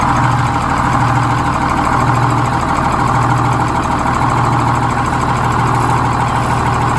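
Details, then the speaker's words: GM 4104 bus diesel, warm, after a transmission swap, new clutch, rear main seal and resealed valve cover gasket: a steady, even idle with a low, smooth beat, no knocks or misses; the earlier whine from a bad bevel gear is gone. "yeah it'd be roaring right now oh yeah no it was you were going 5 miles hour before and I could hear it the engine is already warm"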